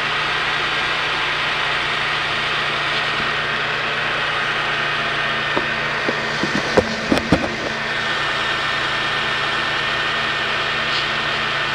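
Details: 1998 Ford Taurus 24V, 76k miles, hard to start: steady buzz at cold idle with a few clicks, source unknown, goes away after a few miles; plugs, alternator, serpentine belt, cam and oil pressure sensors recently replaced.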